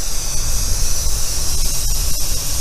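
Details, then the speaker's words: Big crane pulled by a Peterbilt with a blown rear tire, recorded near the rear: a steady loud hiss over wind rumble. The observer suspects a busted air line is leaking. "It's got a blown tire in the back there. It sounds like he busted an airline. You can hear it leaking. It's right there."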